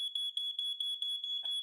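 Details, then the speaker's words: Old hardwired smoke alarm: rapid shrill beeping about six pulses a second without letting up; possibly a dead battery, persisting even after battery change, fixed by replacing with a smoke and carbon monoxide detector. "have you ever heard that annoying noise that comes from your smoke alarm early in the morning is it starts beeping and beeping"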